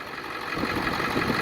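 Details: 2002 Ford Excursion 7.3 diesel 4x4 after replacing the seized pulley housing and damaged serpentine belt: steady idle with even clatter, no squeal or knock from the front; runs smoothly, normal idle.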